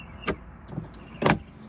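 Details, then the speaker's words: Porsche 924 unused over 20 years, new battery plus booster: windshield wipers make two soft swishing sweeps about a second apart with faint motor hum; wiper motor works, sort of. "Yes. Okay. Okay, sort of, kind of."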